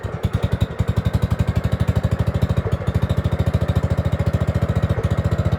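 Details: Gravely 5665 freshly fitted with a China carburetor (after a 15hp carb was tried), air cleaner on: a choppy single-cylinder idle with uneven, pulsing firing and slight surging won't run without the choke. A lean mixture is suspected, not confirmed.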